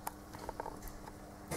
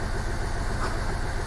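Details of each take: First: Hyundai i20 1.1 CRDi three-cylinder diesel (about 70 hp) idling with the accessory belt removed, ruling out pulleys, water pump, A/C compressor and alternator: steady low hum with sharp metallic knocks from a seized engine, a spun connecting rod bearing. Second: Hyundai i20 1.1 CRDi diesel (about 70 hp) after rebuild of a seized knocking engine, fuel system bled and warmed up, injectors nearly adapted: a steady, even idle with no knocking or misses. Normal idle.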